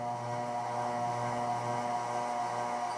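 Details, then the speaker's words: Casablanca Genesis Gallery K4B ceiling fan, spinner motor: steady mid-pitched hum, noticeably loud on medium speed, no knocking; light possibly vibrating, source unclear. "medium medium is really loud for some reason but it works fine you can hear that this fence really loud on medium"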